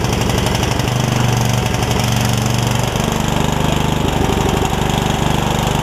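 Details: Yard Machines riding mower single-cylinder, revived after its engine filled with water, thumps unevenly, stumbling and surging instead of idling steadily. The owner says part of the miss is the valves not being gapped after the valve cover was refitted, and plans to adjust them.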